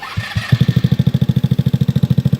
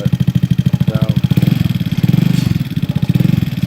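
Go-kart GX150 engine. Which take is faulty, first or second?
second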